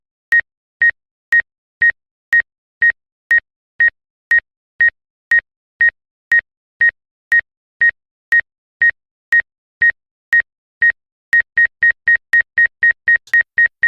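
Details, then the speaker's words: Exo Blackhawk 3 drone after obstacle-avoidance calibration, flown toward a cattle trailer: clean high beeps about two per second, quickening as it closes in, then it refuses to get closer; obstacle avoidance warning working properly. "Hear it beeping fast? And now it won't let me get any closer."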